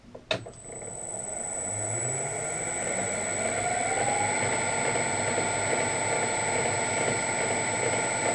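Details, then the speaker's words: Harrison M300 lathe gearbox after fitting new bushings, at low spindle speed (40); gear whine climbing then settling with a faint rhythmic beat about twice a second, much better than before but source uncertain. "And although it has got the little rhythmic thing going, I think uh we're really really I think we're really on the right track here."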